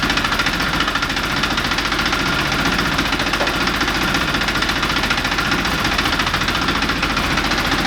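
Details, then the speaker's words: Classic Mini Miglia race car, newly fitted stainless exhaust, fire-up with motorsport wiring finished: lumpy crisp idle with even exhaust beat and light gear rattle over it, normal for these; healthy start and idle. "but for now we can fire it up and see what the exhaust sounds like."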